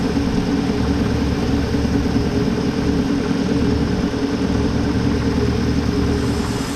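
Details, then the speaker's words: 1970 Ford bumpside truck that sat 20+ years, now running: steady, even straight-six idle with a smooth low rumble and no knocks or ticks, getting quieter, oil pressure 50; clean bill of health. "Dr. Easy says this engine has a clean bill of health. It just keeps getting quieter."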